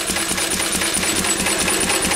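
A quick, even chuffing beat of about seven pulses a second with no misses or knocking; the old engine is running steadily.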